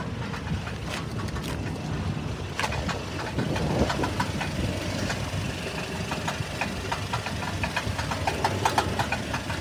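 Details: 1997 Toyota Tacoma at rough idle with an uneven light rattling knock about three per second; owner unsure whether it is a bad catalytic converter or engine knock. Cause suspected, not confirmed.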